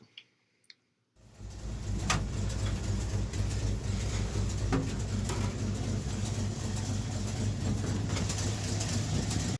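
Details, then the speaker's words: REO M-35 truck with blown head gasket, cold idle: uneven beat, three or four firm pulses then a pause, skipping at least one cylinder, probably more. "So here is what it sounds like with a blown head gasket. You can already hear in just that little section there, you can hear it skipping at least one cylinder, but probably more than one."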